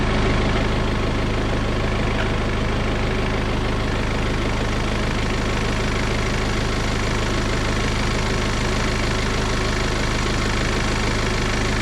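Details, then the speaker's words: BMW N47 diesel after timing chain replacement; chain noise had appeared only briefly at cold start. Now warm, it gives a steady, even idle clatter of about four beats a second with no chain rattle or warning lights; runs properly. "la voiture démarelle tourne comme il faut"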